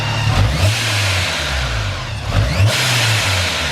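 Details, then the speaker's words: Car with a very loud exhaust, checked over with fluid run through the system. Loud, raspy revs rise and fall, then settle to a steady idle; the engine sounds healthy, just deafeningly loud. "Everything is good. You hear how loud this thing is. This is deafening."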